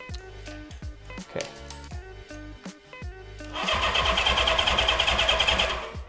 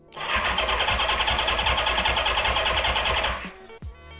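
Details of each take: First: Honda CB550 barn find, 6,738 original miles, sat for decades, cranked on the starter with the ignition switch off (no spark): fast, even churning beat of about three pulses a second. Strong, healthy crank with good compression. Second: 1975/76 Honda CB550 barn find with 6,738 miles after decades of sitting, fuel reaching the engine: starter spins at a steady, even pace for about three seconds but it never fires; cranks but won't start, spark not yet checked.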